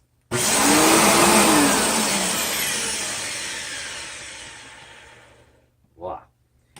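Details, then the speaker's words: Riccar 8850 vacuum motor switched on with a harsh rough roar and wavering whine winding down over seconds; bad motor bearing that failed suddenly, later fixed by repacking front and rear bearings. "greetings bat-fans I have a car 8850 here that's got a bad bearing certainly sounds like it's got a bad bearing and it happened all of a sudden"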